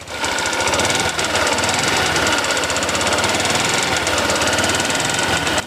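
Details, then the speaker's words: Honda Vario 150 scooter engine before repair, running with a harsh, fast metallic clatter; piston seizure from oil starvation. "Nah, kasar sekali ya teman-teman ya. Kayak ngeletrek gitu mesinnya."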